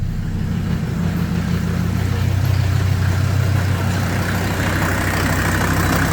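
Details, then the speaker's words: 1983 Mercedes 300D, OM617 five-cylinder turbo diesel, after hydrolock, started after glow plugs: low diesel clatter idling unevenly about three beats a second, stumbling as leftover oil burns off; rough idle from oil in cylinders. "and it is expected that it's not going to run perfectly smooth because of the oil that's in there"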